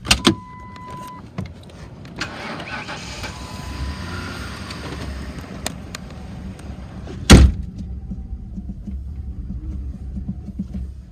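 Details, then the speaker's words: 2008 Ford Crown Victoria Police Interceptor, 120,000 miles, 4,300 hours, running on gas poured into the intake due to a suspected bad fuel pump: low even idle rumble with no knock or miss, a few bumps and one loud clunk; motor sounds good. "motor sounds good it appears to have a bad fuel pump"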